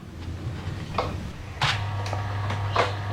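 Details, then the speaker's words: Twin-tub washing machine motor bench-run with a 5 µF/450 V capacitor, windings about 215 ohms combined, spinning left: steady low mains hum with a few handling clicks, running smoothly without grinding; normal. "Đúng. Máy phát điện này quay sang trái theo hình ảnh."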